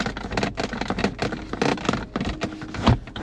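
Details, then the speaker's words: 2024 BAIC Beijing 7 (1.5 petrol, 177 hp, 7-speed automatic) cabin; short, irregular, dry creaks and crackles with each press on the center armrest in a quiet interior. Materials decent but fit could be better: armrest creak. "Trzeszczenie podłokietnika może dokuczać po dłuższej eksploatacji."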